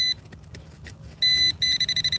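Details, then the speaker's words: Cheap handheld pinpointer with a 2-second start-up delay: high steady beeps, then a fast chirp of about ten per second as it signals metal in the hole; the target turned out to be trash. "machine or the pinpointer making a bunch of noise."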